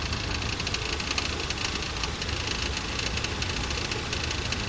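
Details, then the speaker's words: 2011 Ford Transit Connect at idle: busy metallic clatter from the front of the engine, noise from the timing chain system whose plastic guides are said to fail with age. "unfortunately I've found noise coming from the Charming timing chain system"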